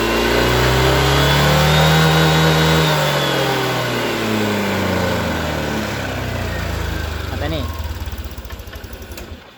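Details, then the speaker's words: Honda Vario 150 scooter with a complaint of dying when throttled on morning cold start; fuel pump tested good at about 40 on the gauge; smooth revs climbing and falling evenly, steady idle, no misfire; normal. "Dan bila mesin kita nyalakan, motor ini tidak ada permasalahan, normal-normal saja."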